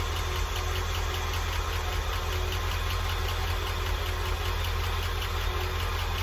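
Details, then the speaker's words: International truck at idle: fast even ticking clatter over the engine note, heard more on the right side and down low; source not found, collapsed lifter or stuck valve suspected, engine also pops through carb under acceleration. "so I ain't found nothing yet as far as the Clutter kicking sound um however I do notice I can hear it more like I said to the right side the engine area but I'll also kind of hear it down low around here"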